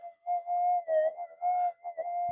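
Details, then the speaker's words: Minelab GPX metal detector on the bench, factory default settings, during a frequency scan for lowest noise: steady mid-pitched threshold hum that wavers and drops out; unstable noise, source unknown, possibly household interference. "for some reason it sounds like there's a lot of noise around today"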